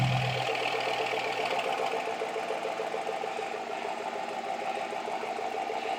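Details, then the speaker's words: 2007 Chevy 2500 pickup work truck, 6-litre engine, just fitted with a new Flowmaster FX exhaust to cure a big rattle in the old system; cranked up and revved, deep steady rumbling idle, even pulse, no rattle or buzz underneath; normal healthy exhaust. "sounds mean when you crank him up Rev him up so oh"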